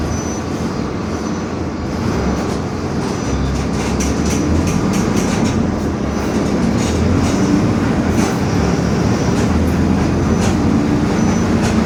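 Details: 2021 Marcopolo Torino S bus on Mercedes-Benz OF-1721 BlueTec 5 chassis, rolling: continuous low drone under road and body rattle, faint wavering growl rising and falling; growling differential.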